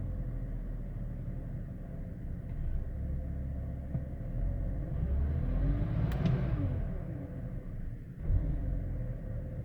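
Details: 2005 BMW 530i with a low, uneven idle that surges and sags, recorded before the idle control valve was replaced; the faulty idle control valve is blamed.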